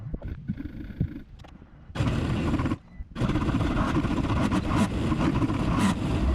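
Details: 1998 XL760 jetski restarted after carburetor teardown. It earlier kept running with the fuel shut off and plug wires removed. Loud, ragged wide-open roar falters briefly, then screams on flat out uncontrolled: runaway.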